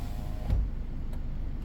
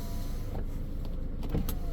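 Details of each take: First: 2015 Ford Edge window relearn from the master switch, switch held all the way down and up: low, steady motor drone with three sharp clicks about 0.6 s apart as the glass runs; relearn in progress. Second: 2015 Ford Edge window after relearn with the button held: smooth, steady motor whir with a slowly rising tone as the glass travels on its own over a quiet idling engine; auto window working normally.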